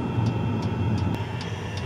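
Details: Fuel-burning heater installed in a Mitsubishi i-MiEV electric car, run from a temporary fuel tank: sharp dosing-pump clicks about three per second over the heater's steady turbine hum; pump loud but working normally.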